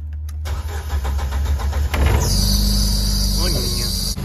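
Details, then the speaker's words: Jeep Wrangler YJ 2.5 manual after a new starter, new fuel filter and lines, and pump priming for a fuel issue. About 1.5 s of even cranking, then it catches and settles into a steady idle; starts cleanly. "all right it's running any leaks looks good"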